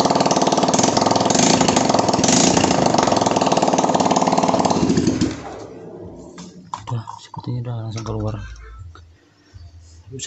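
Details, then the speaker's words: Motorcycle after Rexco 81 sprayed into combustion chamber and spark plug cleaned, run briefly without exhaust to burn off solvent: loud open crackling, rough fast running, cuts out after about five seconds; strong burning smell follows. "Oke, kita hidupkan pelan-pelan, nanti bakalan kencang suaranya."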